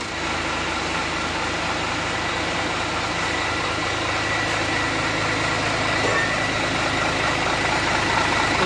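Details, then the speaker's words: Hino 500 FM 260 Ti with freshly assembled J08E diesel engine after overhaul: deep, steady idle with even beat, no knocks or rattles; runs very smooth and healthy. "bunyinya sangat halus yakni sangat halus Neng"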